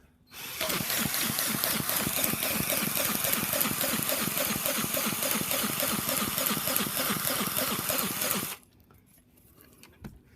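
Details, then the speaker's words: Nitro engine being run in after sleeve pinching, cylinder only about 40 degrees, weak battery: the starter whirs with labored, regular pulses about three or four a second as it drags the still-too-tight engine over. "Alright, I'm almost able to turn it over by hand now, but still a bit tight. So that's obviously too tight."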